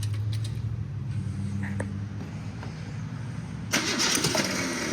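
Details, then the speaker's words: Car that sat almost 20 years, no radiator, throttle linkage hanging up so throttle cracked slightly: starter cranks at a steady low rhythm, about three beats a second, possibly some fuel heard, brief louder rasp as it almost fires but won't catch; crank no start. "Oh, the starter's big mad. Oh, I think I hear some fuel there."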